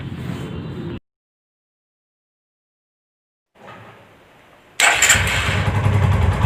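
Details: TVS Apache single-cylinder after an engine rebuild that cured a rattling noise: after a brief quiet it fires up and settles into an even beat with no knock or tapping. Normal running.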